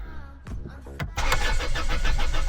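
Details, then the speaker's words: Land Rover Freelander diesel that cut out on the motorway and won't restart: starter cranks with an even four-beat rhythm, suggesting compression on all four cylinders; crank sensor and timing belt checked OK; crank, no start, cause unknown. "And by the sound of it, I'm actually quite happy that it's got compression on all four cylinders as well. It's sort of going There's There's a bit of a beat to it. Jump jump jump jump. 1 2 3 4 when it turns over."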